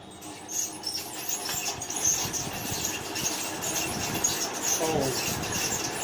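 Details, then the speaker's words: Noisy ceiling fan running before disassembly: repeated high, thin squeaks over a hissy background from a dry fan bearing, heard while still mounted and powered. "जैसा कि आप सुन रहे हैं, इसका काफ़ी आवाज़ से बहुत नॉइज़ हो रहा है।"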